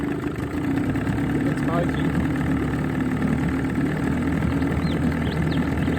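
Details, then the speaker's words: Johnson 20 two-stroke outboard in a test bucket after new water pump, head gasket and water cover gasket: steady, even putter at idle with no misses or knocks; runs healthy with strong tell-tale water flow. "There you go, that's going nice. Yeah, seems to be peeing like an alcoholic after they've broken the seal."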